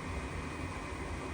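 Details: Furnace after pressure switch stuck open was cleaned and connectors reseated, no replacement: steady, even low rumble with smooth airy rush and no knocks or rattles; inducer motor running normally at startup before igniter.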